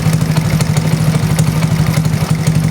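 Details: Honda Astrea Grand 96 after the body wiring was rebuilt from scratch: small single-cylinder puttering at idle with regular, even exhaust pulses and no skips. Charging voltage reads 14.5 V. Normal idle.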